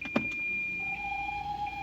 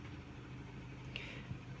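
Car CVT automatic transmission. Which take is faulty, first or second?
first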